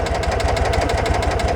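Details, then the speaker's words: Citroën 2CV AZ Luxe, original 130,000 km with rebuilt twin, 6-volt battery, just started: quick, even putter of firm pulses with a busy buzz on top, steady throughout; noisy but healthy twin idling. "Et ce petit bicylindre qui fait pas mal de bruit."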